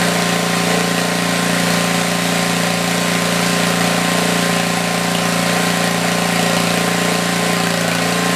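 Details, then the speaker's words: Tecumseh 4,000 W generator, 8 hp engine, under a small drill load; steady even drone holding speed, exhaust fan hissing behind. Normal running under light load, adequate power. "Okay, I have no doubt on my mind that it's a good power head. It's doing pretty good."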